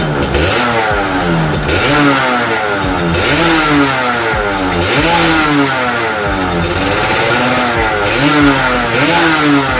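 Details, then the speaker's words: 2003 Yamaha F1ZR (F1Z R) two-stroke engine, freshly assembled with RX-S piston spec, first test run: crisp blips rising and falling every one to two seconds, clean throttle response without rattle; normal revving. "Mesinnya sudah terpasang sepenuhnya. Kita hanya perlu menjalankannya untuk uji coba. Bunyinya seperti ini, Bro. Untuk versi R-spec menggunakan piston RX S."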